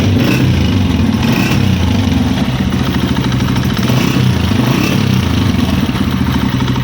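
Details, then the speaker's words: 2025 Honda CG 125 at idle: uneven, stumbling idle with dropped beats and a faint hiss, engine misfiring, with air heard leaking from under the carburetor; misfire from the choke left half on. "Missing वाकई आपके सामने वीडियो में आपको लाइव दिखा रहा हूँ, मिसिंग कर रही है बाइक।"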